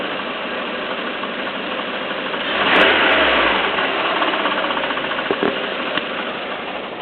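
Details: Peugeot 307 1.6 16v petrol engine at idle with an uneven clacking and a few sharp knocks over the running noise; cause not identified.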